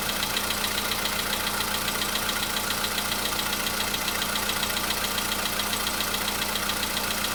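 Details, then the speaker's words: VW Polo Sedan engine at steady cold idle, a day after oil change and flush with flushing oil: light even tapping just under two per second over hum; slight knock, absent the day before, now back but milder, cause unclear. "Чуть-чуть есть, совсем мало. Нет, есть, конечно. Так вот есть, постукивает."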